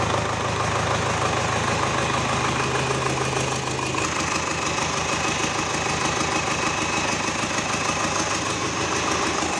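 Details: GAZ 3309 truck with D-245 diesel started after engine repair; steady, even idle with regular light clatter about three beats a second and no misses, engine sounds healthy.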